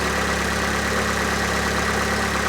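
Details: Fiat 500 Lounge, Cat S salvage, 115K miles, after throttle body cleaning: even steady idle with a smooth low hum, no misses, knocks or hunting; engine idling cleanly.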